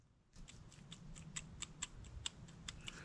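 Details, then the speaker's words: Argo amphibious vehicle bearing, dust covers and seals pried off, rocked by hand on the bench: faint irregular little clicks reveal slight play in the worn bearing. "doesn't sound janky though there's a touch of play see if you can hear"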